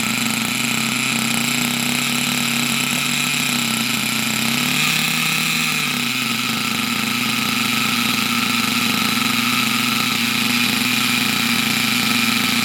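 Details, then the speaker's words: Unknown nitro RC buggy with its very high idle lowered: a high, buzzy steady fast idle whose pitch swells briefly. It died earlier after running a while; owner suspects the exhaust isn't pressurizing the fuel tank. "um it might not be pressurizing it might not be putting the fumes into the tank properly because it did conqu out after a little while"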